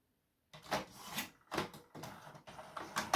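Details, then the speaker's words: 2003 HP Photosmart 7260 inkjet printer on power-up after ink residue area cleaning: short whirring carriage strokes sliding back and forth with clicks between, paper feeding; normal carriage and paper feed operation. "It feeds paper, so that's something weird. It never did that before. Yes, it slides. You see, that's what it should do. Slide back and forth a few times."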